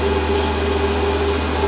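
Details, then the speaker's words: Lathe with newly fitted stepper motor feed drive running at fine feed: steady even lathe hum, no howl from the feed motor that used to be heard; quiet, healthy stepper feed. "So start the lathe up, start the feed up. And now we can't hear the feed motor. We used to be able to hear it howling away."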